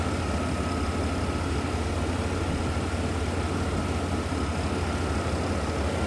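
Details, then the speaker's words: 1991 GMC Sonoma SLE 4.3L V6, about 18,400 miles, heard from the back with AC off: smooth, settled idle with steady low rumble, no ticking, knocking or hunting; healthy stock-sounding engine. "Sounds pretty stock, which you'd expect. And I don't have the AC on right now, so you won't hear the clutch kick on and off."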